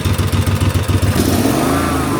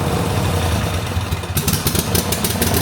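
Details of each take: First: 20-year-old 2005 Snapper ZTR mower, about 1,500 hours, after carburetor replacement for uncontrolled revving: throttle blipped, engine revs up quickly then governor pulls it straight back to steady speed, no hunting; governed rev response normal. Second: 2005 Snapper ZTR mower, 1,500 hours, after a carburetor replacement set slightly rich, engine speeds up and revs to the moon with no steady speed, worse on choke, black smoke; owner suspects parts fitted reversed; surging.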